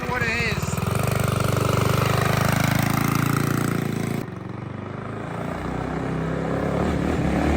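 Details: Custom-built yard go-kart with new bearings: small engine pulls up steadily, then drops back to a smooth, even drone with no grinding or rattle from the drive.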